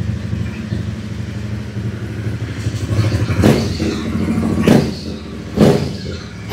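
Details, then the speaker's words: Aprilia Caponord 1200 Rally twin with K&N filter and uncut original intake sleeve after airbox modification: deep even idle, three throttle blips rising and settling cleanly; intake noise now normal and quieter. "ah ouais ouais c'est mieux"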